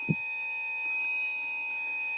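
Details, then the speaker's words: Brand-new battery backup sump pump, primary pump unplugged and pit filled to trigger the backup: continuous shrill alarm tone signalling it is running on battery and has lost charge; the pump runs but moves no water, failing after one day. "as you can hear the alarm is going off that the battery is uh been activated and it's lost some of its charge"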